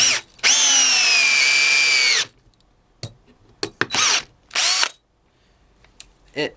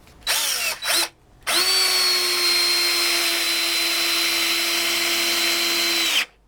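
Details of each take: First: DeWalt DCD710 cordless drill/driver in second speed on a freshly charged 2.0 battery, driving a 5x60 screw. A high motor whine drops in pitch as the screw goes in; the drill bogs down at its torque limit. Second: DeWalt DCD710 drill/driver, freshly charged 2.0Ah battery, first speed, driving a 5x90 mm screw; even high-pitched motor whine holds steady about five seconds without bogging down; healthy drill under load.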